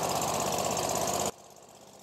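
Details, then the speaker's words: Small carbureted engine flooded with water through a broken intake manifold, first start after fresh plugs with the air filter off: uneven chugging and sputtering as water burns out of the muffler. "right so what that is that's water that was in the muffler and we're burning it out of there right now"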